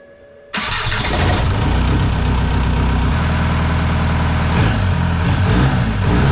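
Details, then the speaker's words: VW MK4 TDI (ALH) diesel with replacement engine and factory turbo, injection quantity about 5.25: quick start into steady, even idle, no misses or knocking; healthy. "But I just got to say, I don't know what was wrong with the other turbo on the other engine, but it did not sound like this. This is a factory turbo on this, and it sounds so cool."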